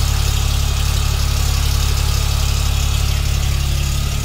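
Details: 2021 Hyundai Venue SX (O) at about 5,500 km: at cold start a fast, even rattle of two to three beats a second rides over the idle; cause unknown, service centre gave no fix.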